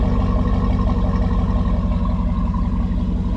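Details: Daily-driver car after fixing the fault: deep steady V8 rumble with even pulse and smooth revs, no knocks or ticks; normal engine revving.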